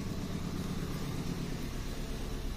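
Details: 2010 Kia Rio manual petrol, idle after it was finally started following more than two months not running and an ECU repair; quiet, steady smooth hum with no misses or knocks; normal idle.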